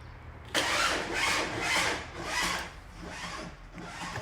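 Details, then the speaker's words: Car with a battery that was recently flat, cranked after lights on for three minutes with ignition on: slow, weak starter whirs fade out without the engine catching; battery too flat to crank, no start. "ignition on will it start nope assume you can hear that"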